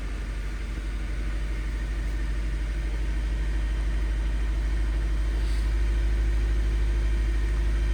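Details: 2013 Nissan Sentra four-cylinder at idle in park, rough idle and shaking; scan tool real-time misfire count shows cylinder one misfiring. Steady idle with faint uneven stumble, fitting intermittent misfire, suspected from a failing coil.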